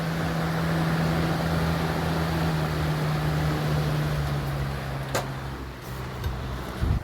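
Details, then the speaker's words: 1991-1992 Robeson 2393 fan after its warped plastic blade hub was replaced with a spare blade: steady low hum, even airy whoosh, and the motor buzz is gone; running smoothly. "And the buzzing stopped from the motor. Sounds good now."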